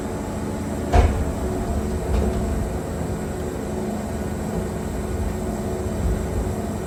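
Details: Wood-Mizer Super 70 sawmill with new drive belt (about 4-5 hours run) and resharpened 747 Turbo band, cutting a very knotty log at maximum push: engine pulls hard and steady, a couple of log knocks, no squeal; only a little belt slip.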